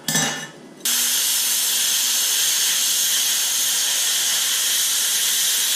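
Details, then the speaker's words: YesWelder Firstess MP200 plasma cutter at maximum output cutting eighth-inch plate: a short clink, then a sharp, steady high hiss held for five seconds, a clean cut; post flow was found off and turned on. "i noticed there wasn't any post flow so i turned that on but i've got a pretty decent cut there"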